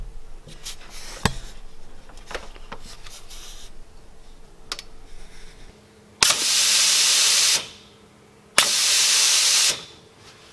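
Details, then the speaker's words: Jeep rear air locker that stopped engaging, air line unplugged at the locker: two sharp bursts of air hiss about a second each; air is reaching the locker, so the supply is fine. "we just unplugged it from the locker to see if we were getting air we are"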